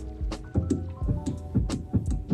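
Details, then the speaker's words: Porsche 944 fuel pump wired straight to a battery gives uneven ticks and clicks instead of a smooth whir; the pump is stuck or seized. "not sure if the camera picked that up but it's ticking it just sounds like it's stuck cuz it should just Whirl Away on here"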